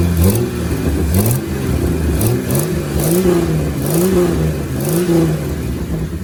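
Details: Jeep after replacing the belt tensioner pulley, which had made horrible noises: engine blips up and settles several times, pitch rising and falling smoothly, no belt squeal or screech; normal, healthy run.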